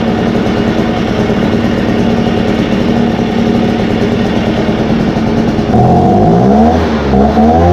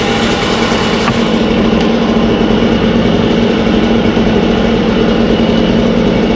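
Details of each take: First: Echo 403T blower after Zama carb replacement and idle, high and throttle adjustment, at operating temperature: two-stroke buzzes evenly, picks up cleanly when blipped with no stumble or bog; normal running. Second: Echo 403T two-stroke with a new Zama carburetor being adjusted: slow burbling idle just above stalling as the low-idle screw is turned down; idle set too low, then a quarter turn up is advised.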